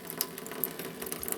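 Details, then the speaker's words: Off-grid tiny house cold-water plumbing with 7 A pump, first pressurizing: quiet irregular spits and clicks of water instead of smooth flow, no pressure yet; air in the lines purging out. "All right. There's no pressure. That must take a minute. Yeah, there's air in the lines."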